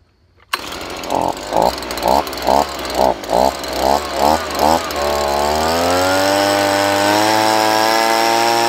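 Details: Stihl BG 55 two-stroke leaf blower after carburetor cleaning and fresh gas, started on choke, then choke off: catches after short pulls and runs steady, pitch climbing evenly with throttle. Normal running; owner suspects bad gas plus a dirty carburetor caused the earlier rough running.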